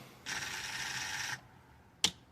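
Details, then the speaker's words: 1982 MasterCraft ski boat, Ford 351 5.8L, weak battery around 11.89 V after all-day charging: a second of raspy buzzing, then lone clicks and no cranking; clicking, no crank, owner suspects dead battery with working starter solenoid. "That's actually a good sign. Sounds like a solenoid. Considering this battery is as dead as it is, a uh solenoid starter relay uh click actually is a good sign to me."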